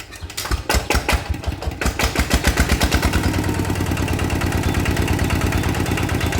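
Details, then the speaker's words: Single-cylinder diesel water-pump engine after clearing breather hose blocked by insects, which had forced oil out of seals: even, steady thud about three beats a second, now quieter, but oil still comes out the exhaust. "เงียบแล้วแต่น้ำมันมันออกท่อด้วยไง"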